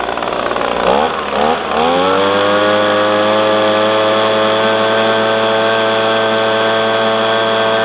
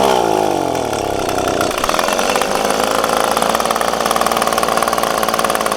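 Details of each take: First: Echo PB250LN handheld blower, warm, full tank, at full throttle after replacing air filter, fuel filter and spark plug (tune-up kit) to cure bogging when hot: rises quickly to a steady high buzz without sagging; bogging fixed. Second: Echo PB-250LN handheld two-stroke blower, full tank, at operating temperature: buzz climbs past half throttle then stumbles, cuts out and holds a ragged note; bogs when hot, owner fitting a tune-up kit. Cause not confirmed.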